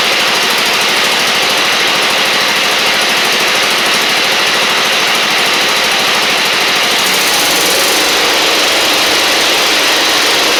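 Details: Husqvarna LGT2654 Briggs V-twin mower engine: a rough, uneven chuffing run with smoke. The left cylinder is dead despite spark; a cylinder head or valve guide problem had been considered.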